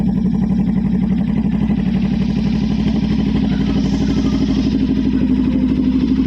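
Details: Low-mileage motorcycle started after sitting unused and uncleaned for about one to two months: quick, fairly even idle beat with no misses or knocks; running fine.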